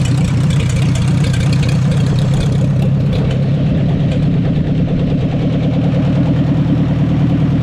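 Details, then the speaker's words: 1944 Ford 2N tractor after carburetor cleaning and number one valve adjustment, choke off, low on fuel: rough lumpy idle with occasional misfire; owner unsure if low fuel or idle circuit is cause. "fair when the chok's off keep missing a little bit I'm not sure if that's cuz we're low on fuel or what"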